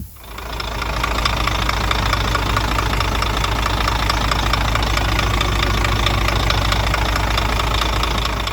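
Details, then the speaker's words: Scania R400 DC12 diesel after rebuild (new liners/pistons, camshaft), first start after installing engine and automatic gearbox, no guards fitted; steady even clatter at raised idle, high revs from poor tuning; normal diesel idle. "Закрывает горник, поднимает обороты, поэтому обороты такие большие."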